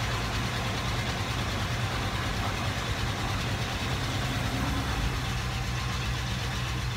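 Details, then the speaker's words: AMC Hornet, dead battery, off the ground on jacks: deep even V8 burble holding steady as it is shifted through reverse, neutral and drive, no misses or knocks; runs and drives normally. "guys see that runs like a top what it's gonna drive guys we're good it runs and drives"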